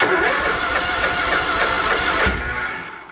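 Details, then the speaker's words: John Deere LT160 Automatic mower stored outside for years, cranked with starting fluid: a few sharp pops over cranking, then fades without catching, firing only on the starting fluid. "it popped round two with the Boost"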